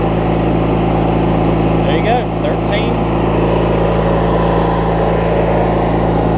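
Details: Craftsman LT1000 riding mower with a swapped-in opposed-twin engine, left running after restart; smooth, low, even thrum at steady idle with no misses or knocks; twin running well, normal idle.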